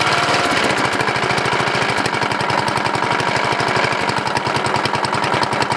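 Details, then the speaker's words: Briggs & Stratton 14.5HP OHV single-cylinder riding mower engine, first run in years after a coil replacement, stock muffler: fast, harsh rhythmic clatter steady with engine speed; internal knocking or rubbing noise, cause not yet confirmed. "ok guys so the noise is internal I took the flywheel cover off and ran it and still make noise"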